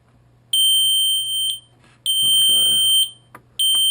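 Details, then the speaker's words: Audi instrument cluster (2000–2006 TT / A3 / A4 / A6 / Allroad type) bench-tested on a harness after replacing the MFA LCD screen. Loud, shrill warning buzzer sounds in second-long on-off bursts; the cluster powers up and works normally. "So we'll basically turn it on, verify that the screen works, and turn it off quick because the buzzer is very loud."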